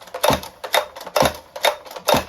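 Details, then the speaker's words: Stihl MS 261 C-M chainsaw with customer-reported noise on starting, starter pulled to simulate the noise: rattly, hollow metallic clatter about two bursts per second. "ist in sich alles ein bisschen Hoh klingt"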